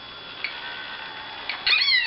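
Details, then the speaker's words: Small pump in a refrigerant (fridge) leak detector: thin high whir with ticking rattle, then pitch surges as the pump restarts at full speed. It vibrates and gets hot, happens intermittently, and the sensor cell is dead. "alors en plus il y a des bruits bizarres sur la pompe"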